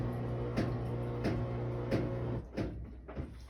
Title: Maytag washer With Banging Noises